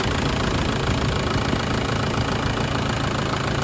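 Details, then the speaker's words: 2010 Jeep Patriot 2.0 CRD diesel, fully warm, idling after sump work for a low oil pressure fault; a steady, even diesel clatter with no misses, no leaks, bone dry, a normal warm idle. "so the engine is completely completely up to temperature no leaks there nothing up there in them funny bolts it's bone dry"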